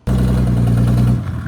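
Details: Mercedes 300D with an OM603 turbo diesel, fitted with a Holset HY35 from a 24V Cummins and its wastegate welded shut, before the old EGR hole is blocked. A loud, raw, unmuffled bark rises and falls on the rev. Exhaust leak from open EGR port.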